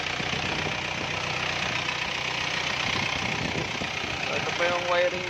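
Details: Engine catches after starter relay, fuse, wiring, ground and battery checks for a click-only no-crank fault, then settles into a steady, even idle with no clicking or stumbling; starts and runs normally.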